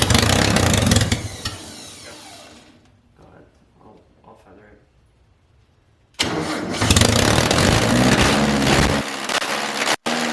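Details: MG Midget with swapped engine, first start after completing the fuel system: fires on fuel with flames from the header, revs briefly, fades to near silence, then restarts unevenly; won't hold idle on its own, dies without assistance.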